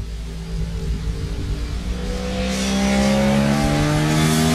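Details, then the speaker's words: Engine started with starter fluid: clean, even exhaust note climbing smoothly as revs rise, no knocks, misses or rattles; runs smooth and healthy. "That's awesome, man. Yeah, it sounds good."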